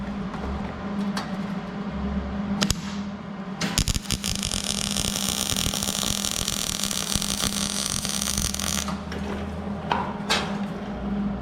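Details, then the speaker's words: Hobart Handler 140 MIG welder, started near heat setting 2 and wire speed 32, wire speed turned back after too much wire: steady, even crackling hiss with no popping or sputtering, less ridge and good penetration, a normal well-set MIG arc. "sounded a lot better A lot less Ridge yeah that looks real good good penetration"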